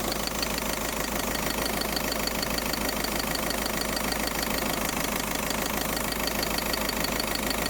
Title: Hissing noise....